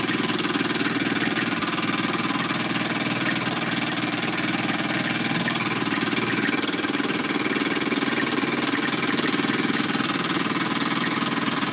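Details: Small model steam engine, warmed up, running: even chuffing about two and a half beats a second over steady steam hiss, regular beats; runs nicely, normal.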